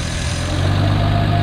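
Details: 1951 Studebaker with a makeshift exhaust using a Corolla muffler: quiet low idle that rises smoothly into a clean, even rev. The engine responds well, with slight surging when the idle is let all the way down.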